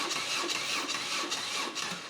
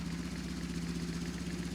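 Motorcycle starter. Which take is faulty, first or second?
first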